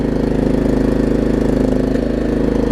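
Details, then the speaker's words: Troy Bilt Pony riding mower, fixed by tightening a loose starter solenoid connection and fitting a good battery: small engine idling with an even, steady beat, no hunting or surging. Owner notes Briggs intakes are known for surging; normal idle. "And it doesn't really surge either. Those Briggs intakes are known for surging."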